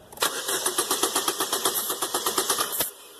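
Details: Chevrolet Aveo with a crank-no-start complaint, tested cold with a scan tool: starter churns evenly about four turns a second for nearly three seconds, no firing; later starts on starter fluid, indicating spark is present.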